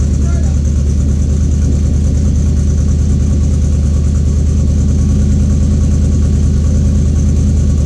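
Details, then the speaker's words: 1931 Ford hot rod with a new coil, fuel filter and master cylinder, fuel level unknown: engine catches and settles into a steady, slightly lumpy idle with an even low beat. Starts noticeably better than before. "all right so it is definitely starting a lot better"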